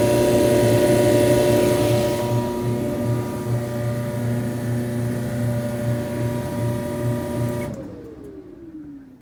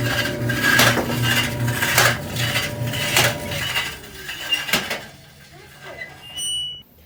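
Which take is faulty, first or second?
second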